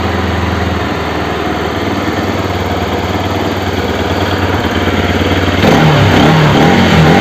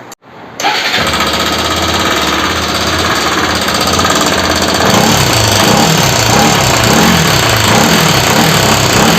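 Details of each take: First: Bajaj RS200 engine, exhaust valve clearance set to 0.08 mm: even idle pulsing around 220 per minute, then a sharp rev blip near the end; no ticking stands out, normal running. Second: Bajaj RS200 motorcycle: starts, then settles into a busy, raspy idle with a steady rattling tick over the engine note; abnormal engine noise of unknown cause.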